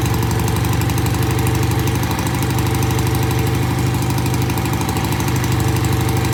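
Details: BSA A65 twin, pilot jets of its new Premier carbs just cleaned. Cold start after tickling, then a steady, even low thumping idle with both cylinders firing regularly, no knocks or misses; good idle on both sides. Normal idle.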